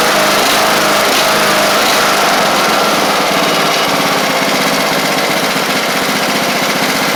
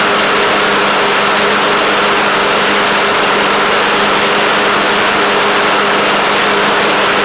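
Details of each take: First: Craftsman LT1000 Briggs Intek mower on a cheap replacement carb with an undersized jet: an uneven, lumpy beat at about four pulses a second that stumbles and chuffs. The owner plans to drill the jet out a thousandth. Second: Craftsman LT1000 riding mower with Briggs Intek engine giving a smooth, constant hum at a steady pitch, with no surging, knocking or misfires; it runs well and shifts great. A deck belt fell off and a double-stack pulley is suspected bent.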